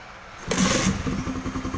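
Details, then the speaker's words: Honda CB150R after injector cleaning (MIL had blinked 12 times for an injector fault) and a starter solenoid fix: it catches after a short crank and settles into a quick, even idle with no misses. Normal idle. "Bahkan suaranya pun terdengar seperti itu, Bro."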